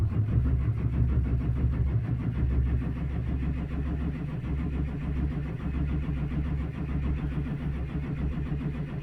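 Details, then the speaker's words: 2004 Chevrolet Silverado 2500HD 6.6 Duramax diesel, towed in, no codes: starter cranks steadily at about ninety turns a minute with no firing after priming from a fuel can; no fuel pressure, from a suction-line leak that lost prime, fixed with new 1/2" hose. "not making any fuel pressure at all it's coming up there we go so that confirms it we've got a suction leak into the fuel system"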